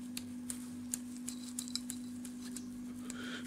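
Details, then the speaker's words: Jaguar S-Type V6 rear shock absorber rocked by hand during a rear suspension rebuild: sharp light clacks, about three a second, over a steady hum. The silent block is fine, but the shock has lots of play. The owner suspects it caused clunks on bumpy roads. "Au niveau de l'amortisseur, il y a son silen block qui est bon. Il a aussi beaucoup de jeux, on entend"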